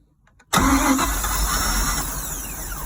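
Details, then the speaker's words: Boat engine cranked by jumping across the starter solenoid, with a little gasoline dumped into the carburetor; the fuel filter was later found to be the issue. Quick crank, then it fires into a rough, rising-then-falling run on primed fuel. "it runs it's alive folks all right well we're back out here working on this boat again we got it fired the other day on just a little bit of gasoline dumped in the carburetor"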